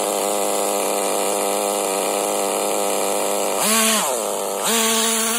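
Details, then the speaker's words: HPI Nitro MT RC truck with a Nosram RS 18 Evo nitro engine during break-in and tuning: a high, buzzy idle with a slight uneven burble and two throttle blips. The low-speed needle is still untouched and running rich; the high-speed needle needs leaning. "it seems to be idling nicely can still hear it burbling a bit"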